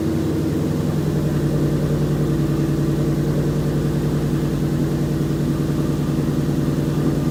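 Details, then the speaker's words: 2011 Ford Mustang GT 5.0 Coyote V8 with Roush exhaust, first cold start in the garage after new King CR868SI rod bearings, rod bolts and 5W-30 oil: quick fire-up into a steady, even rumble, no knock or tapping; fixed. "here is the footage of the first fire once I turned it over"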